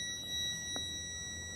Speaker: जब बीप की आवाज आएगी तो इसके मतलब हमारी केबल सही है। ठीक? बीच में कहीं केबल टूटी नहीं है।